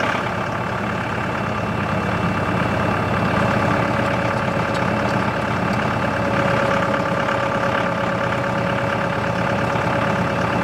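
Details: CountyLine post hole digger on a tractor PTO, first use with the 6-inch auger boring very hard clay. Steady, even tractor drone with no knocks or squeals. Running normally, though clay clumps fall back into the hole.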